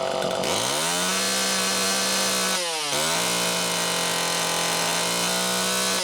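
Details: Super EZ Automatic chainsaw, near-new condition, second test run: revs to a steady high buzz, bogs slightly and recovers cleanly twice; runs strong and healthy.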